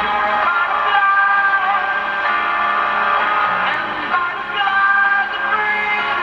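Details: G.E. Model 254 tube portable radio: music harsh and fuzzy with a steady whistle over it; distorted output, suspected from critical lead dress and capacitors possibly installed with the outside foil reversed.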